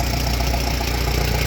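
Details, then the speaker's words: 2012 Chevrolet Cruze 1.4L turbo after head gasket replacement, burning off oil: steady, even low idle with no misses or knocks; normal idle. "Didn't misfire a bit when I fired it up either."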